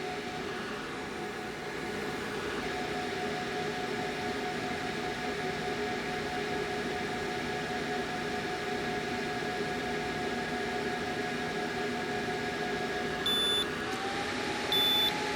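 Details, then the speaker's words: WEIZE 2000 W inverter on a 100Ah LiFePO4 battery loaded to about 2200 watts: steady electrical hum and fan hiss with stepping pitch, then two short high beeps as it overloads and shuts off, expected behavior. Inverter overload shutdown cycling. "So at around 2200 watts, you can see that now we're oscillating. The inverter actually shuts off, and that's actually expected behavior."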